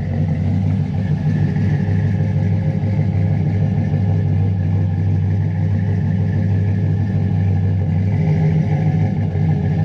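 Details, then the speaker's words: Chevy Silverado 5.3 V8 with BTR stage 2 truck cam, stock torque converter, 4-inch exhaust tips: deep loping choppy idle that rises on a blip and settles; healthy cammed idle. "like you can hear it now like come right here that [ __ ] sounds good"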